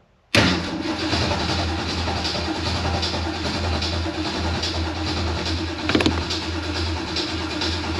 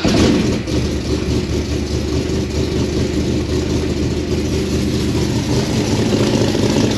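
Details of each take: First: 393 cubic inch V8 on first start attempt after Holley Sniper EFI conversion, fuel pump primed; about eight seconds of even cranking with no firing; crank no start because the coil wire was not installed. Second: Carbureted car converted to Holley Sniper EFI, running smoothly right after the spark plug wires were reinstalled in the correct rotation direction: a steady, even low rumble with no stumble or misfire, a healthy engine.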